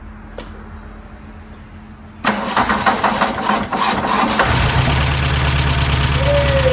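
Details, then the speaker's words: 1991 VW Mk1 Etienne Aigner Cabriolet, first key start after the fuel system was primed: cranks and catches, then a quick, steady clatter over the idle. "lifters were clacking really bad so hopefully once it gets some really good oil pressure that"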